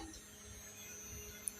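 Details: Chinese CRT TV in a Toshiba casing with a non-original chassis and the original tube: totally dead, with a faint steady high-pitched squeal and no power-up. The cause is not confirmed; the chassis is to be checked.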